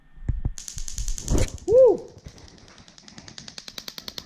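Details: Spark test on an engine with individual coils, fired from a Link aftermarket ECU via PC Link ignition test into a spark tester, cylinder one: sharp, even snaps about five per second; ignition fires normally.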